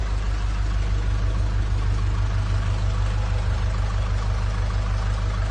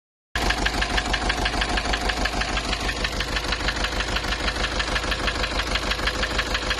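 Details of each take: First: Nissan Urvan Estate E25 with ZD30 diesel after replacing the engine block assembly for knocking: a steady, even idle with smooth low rumble and no knock or tick; runs clean. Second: Nissan Urvan Estate ZD30 E25 engine knocking replaced engine block assembly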